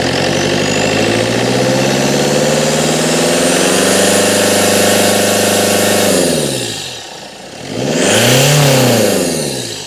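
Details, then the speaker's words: 2002 Citroen Berlingo 2.0 HDi with poor running, EGR valve suspected and tinkered with: steady even diesel idle dropping and rising cleanly on throttle blips with no stumble; no misfire. "Ignition on. Idling away much as before. That's not misfiring at all."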